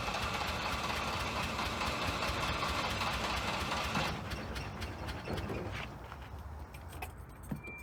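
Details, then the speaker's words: Sight-unseen auction Volvo 240 on its first start after long sitting, jump-started: the engine catches and chugs unevenly, lumpy and weak, then fades out within seconds. The owner thinks it's misfiring with only one cylinder firing and plans to check the spark plugs, cap and rotor. "So what it looks like, well, at least what it sounds like, it's not running on all cylinders. It only sounds like one cylinder is firing."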